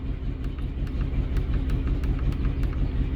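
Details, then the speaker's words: 2003 Trailblazer that cranked but would not start, no codes: idle with regular stumble, about three uneven beats a second; misfire followed the coils when swapped between cylinders, confirming failed ignition coils needing replacement, injectors also found clogged. "Yo las cambié de lugar para ver si eran las bobinas, porque era la 6 primero la que fallaba y la 2. Entonces yo las cambio de lugar para verificar que sí estén funcionando, y sí, es la bobina la que no está funcionando, hay que cambiarlas."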